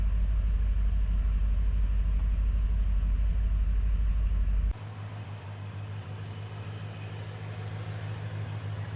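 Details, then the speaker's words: 1986 Chevrolet Corvette C4 Z51 V8, stored over 20 years, after idling about 5 minutes: low, even V8 burble with steady pulse, no misses or knocks; idle has smoothed out and sounds better. "all right we' been ID in about 5 minutes smooth it up it's better"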